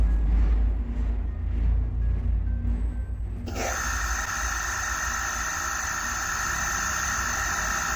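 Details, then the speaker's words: Inverter AC outdoor PCB (Voltas/Whirlpool/Bluestar type, F2 error) after reading and rewriting EEPROM data, in quick start mode: a low rumble, then a steady multi-pitch high whine as the compressor starts, the same earlier noise; blamed on bad EEPROM data. "तो आप देख पा रहे हैं कि कैसे compressor ने वही पहले वाली आवाज करनी शुरू कर दी है। तो यह बेसिकली इब्रोम डाटा की ही प्रॉब्लम"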